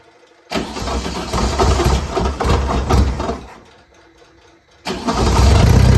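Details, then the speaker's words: 1967 Volkswagen Beetle engine after reinstall with new motor mounts, oil cooler O-rings and fixed exhaust stud; catches quickly, drops out after seconds, refires and settles to even idle; healthy start. "Probably going to make some noises, and then it's going to quiet up."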